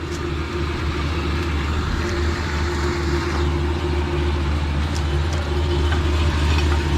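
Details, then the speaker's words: Newly built turbo engine in an F150 after first start, piston rings not yet broken in, exhaust dump opened up: deep, loping idle with an uneven, choppy pulse about three beats a second; lumpy cammed idle. "I want to hear what it sounds like. Oh yeah. Yeah. We gotta hear those cams go lumpy."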